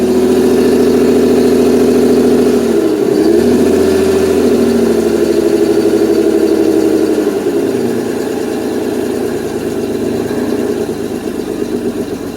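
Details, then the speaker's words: 1992 Mercedes 600SEL V12 on a roughly 100-degree day, no smoke: the idle hunts and sags twice, then settles lower and ragged near stalling; it runs on cold start but idles near 230 rpm. Cause not confirmed. "If I can get this thing to stay running. No, I can't, because on cold start it actually runs, but come on, bro."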